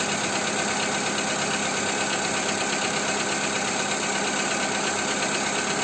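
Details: Skoda Fabia 2 with 1.4 engine, after Ceratec treatment: at idle a light, fairly quick ticking knock, about three per second, rides over the engine hum; engine knock, cause unclear.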